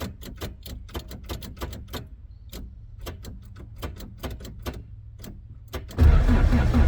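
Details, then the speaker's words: Toyota AE86, first drive attempt after track prep: irregular metallic clicks then loud metal-on-metal grind on starting, traced to a brand-new starter whose pinion stayed engaged with the flywheel. "all right so first hiccup on my initial try to or on my initial attempt to drive the car you guys heard that crazy metal on metal noise uh it was coming from the starter"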